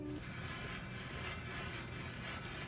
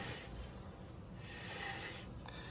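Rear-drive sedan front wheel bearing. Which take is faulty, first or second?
first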